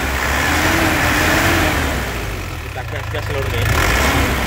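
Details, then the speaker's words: 2005 Isuzu Panther Grand Touring Turbo diesel: steady idle, smooth quick rev blip and return with no knock or rattle; crisp, healthy engine sound. "Lur, suara mesinnya kelihatan renyah ya, khas penter suara aneh-aneh ngeplek atau apa, enggak ada ya. Jadi suaranya masih renyah tandanya itu mobilnya masih sehat ya."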